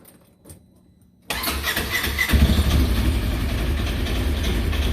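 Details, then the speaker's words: 2016 Polaris Ranger 900XP after installing a new one-way starter bearing and gear (starter had slipped when cold-starting): starter engages and engine catches at once, settling into a steady idle with no slipping or grinding; normal start after repair. "right get cranked up all right we'll let it run for a little bit and we'll get see what happens it's running though"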